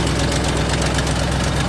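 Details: 2008 Ford Mustang GT (S197) V8 started after sitting a couple of months with flat battery, before engine removal: steady idle with a loud, rapid, even knock over the low rumble; internal engine knock, reason engine is being replaced.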